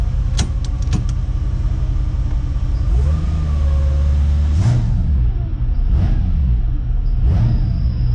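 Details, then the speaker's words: Ford XG ute with newly swapped engine, automatic, first start before first drive: idle and blips with a thin whine rising with revs, present in neutral and park, cause not yet clear; transmission whine. "so for some reason it's whining a little bit in neutral and park i'm not 100 sure"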